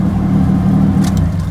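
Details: Cold start after sitting a couple weeks, turbo engine with a makeshift exhaust: stock turbo elbow, 2.5 and 3 inch piping, resonator, misaligned flanges. Sharp puffing chuffs break through the revving, so the exhaust leaks; owner plans a full 3-inch replacement.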